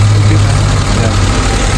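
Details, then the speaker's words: Honda City petrol after distributor setup restored to original, check engine cleared, still cold, before aircon on: deep steady idle hum with no misses, surges or hunting; idle speed correct, fault fixed. "O na yan na ganyan kababa so malamig pa rin ganyan kababa yung setup niya. Yan yung setup niya nung una"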